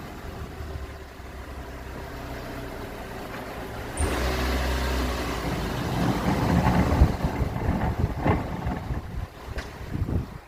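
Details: Customer car just driven in a couple of miles, pulling away over rough ground: irregular heavy clunks and thumps over the engine note, pointing to worn suspension; cause suspected, not confirmed.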